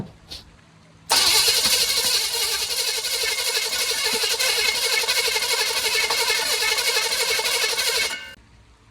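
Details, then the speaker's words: 1940 Chevy with a budget core small-block: starter cranks steadily about four pulses a second for seven seconds without catching, sounding like air pushed out other than the exhaust; spark and 60 lb oil pressure confirmed, severe crankcase blow-by, suspected sticking valve; cranks but won't start. "Here's how we know it will not start and it sounds funny. It sounds like it's pushing air out of other things than the exhaust."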